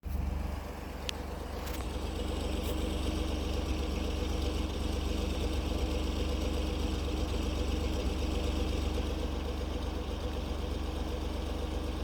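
Cold-start idle with a low, uneven rumble and a slightly lumpy beat around four per second, suggesting a rough-running engine.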